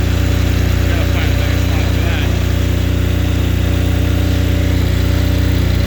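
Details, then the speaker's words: Apache diesel generator with no glow plugs, in freezing weather, after being reassembled and heat put on it, its needle likely stuck or iced up: even chug at about 200 beats a minute, steady and unbroken; normal idle. "there we are running just fine so I ran this out of fuel I'm pretty sure that needle stuck is iced up I also put some heat on it fine now"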